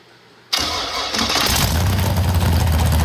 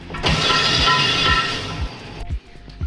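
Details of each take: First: FD Pro drift car started with the transmission removed: the engine runs loud and heavy with a steady knocking undertone of about three beats a second, the same noise as before, caused by a loose flywheel. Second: Engine in FD Pro drift car, starter test before compression test, two coil packs broken on one side and three on the other: even cranking about two beats per second, no grinding or clicking; starter spins engine freely.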